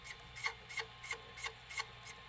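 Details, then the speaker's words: Sony SLV-575UC VHS VCR in play: dry rasping rub about three times a second from the pinch roller, caused by a bent pinch roller shaft. "get worst we have bed shaft here this is a common tool that go back in this mods"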